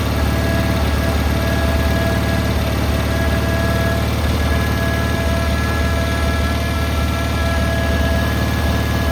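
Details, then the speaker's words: Cub Cadet 682 garden tractor with Kohler KT17 twin, first start: even, deep pulsing beat at steady speed, no skips or metallic noise; believed a good running KT17. "This machine here is actually, I believe, that's a good running KT17."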